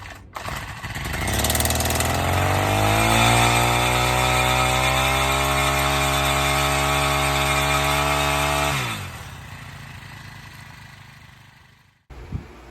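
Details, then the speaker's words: Honda Harmony FG100 tiller, long-sitting, cold start with choke toggled: catches, climbs to a steady buzzing speed, then sags and dies with basically no idle; gas spills when primed; rich running from a stuck carburetor metering diaphragm. "It's been sitting, so it has a lot of problems associated with that. And the main one obviously being the carburetor."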